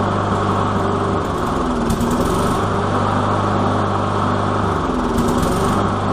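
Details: Walk-behind lawn mower single-cylinder after carb cleaning with methyl hydrate: an even, steady chug with no misses or surging; the no-start fix worked and it runs smoothly.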